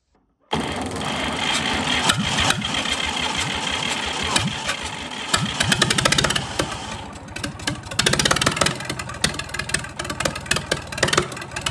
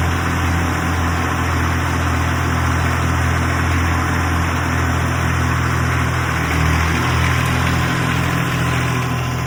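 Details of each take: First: 1962 Fordson Super Dexta diesel tractor just fired after 25 years sitting: it runs with an uneven, stumbling beat and loose knocks because air is still trapped in the fuel lines and needs bleeding. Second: 1962 Fordson Super Dexta diesel tractor, revived after 25 years sitting, once air was bled and pumped from the fuel lines: steady, low, even diesel chug at idle with no misses or knocks; it runs smoothly and is healthy.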